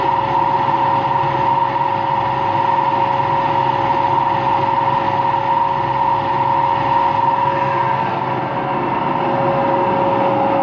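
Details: Empty washing machine on rinse and spin with no clothes, a steady loud roar with a hum held through the spin; owner suspects both the motor bearing and the drum bearing are worn, and no leak is seen.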